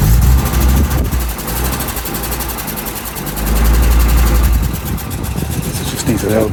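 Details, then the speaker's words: 1992 Audi Coupe, first start during restoration and a new inline fuel filter replacing the leaking banjo-style one: catches and settles into a slightly lumpy cold idle, clean on small throttle blips as fuel pressure builds; possibly idle control from cold, sounds good. "Sounds good. That could just be idle control, like if it's sparring from cold."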